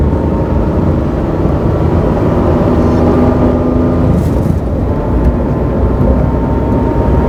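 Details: Mazda AZ-Wagon MJ23S while driving gives a steady drone with a constant whine over it. It is an abnormal transmission noise with the cause undetermined.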